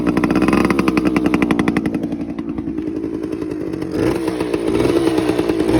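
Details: TC125 two-stroke dirt bike after a carb clean, a new fuel line with filter, and a switched spark plug: crisp popping revs up and settles back to a steady idle, firing evenly throughout. Normal running.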